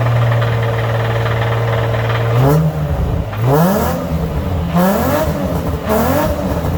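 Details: Engine after rod knock repair done without removing the engine: blips up and settles several times, pitch climbing smoothly with each rev and no knock underneath; running healthy.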